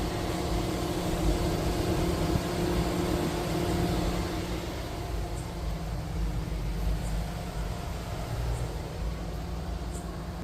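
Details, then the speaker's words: Tata Punch EV fast-charging, sound from front compartment: steady low even hum with faint fan-like hiss, no knocks; BMS-run cooling system keeping the battery cool during initial fast charging, normal. "तो उस समय जो battery का जो temperature है उसको maintain करने के लिए यहां पे अंदर जो इसके बीएएमएस के द्वारा जो भी कूलिंग सिस्टम है वह चलाया जा रहा है बैटरी को ठंडा रखने के लिए।"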